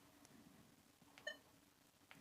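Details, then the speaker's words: Nokta Legend metal detector during a profile 3 reset to factory settings, done via settings, the refresh arrows and holding the pinpoint button. A quiet room, then one brief, clean mid-pitch chirp confirming the profile was wiped. "and you can see there I've now got nothing saved in profile 3, and you can hear the machine chirping because if I come out of this totally, this has now been wiped as it came out of the box."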